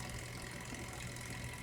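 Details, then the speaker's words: Vintage 1970s Teledyne WaterPik Model 71 after leak repair (reservoir-to-pump tubing replaced), reservoir filled: even steady low pump hum with regular pulsing beat, no sputter or hiss; normal operation, leak fixed. "turn on and there we go my steady pulsating action"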